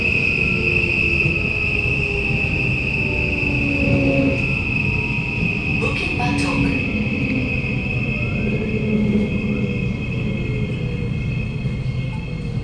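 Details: SMRT Kawasaki Nippon Sharyo C751B train 351/352, car 1351 in terrible condition, Bukit Gombak to Jurong East: a thin, steady high screech over the rumble while decelerating. The wheel squeal is most probably from worn-out wheels, but this is suspected, not confirmed.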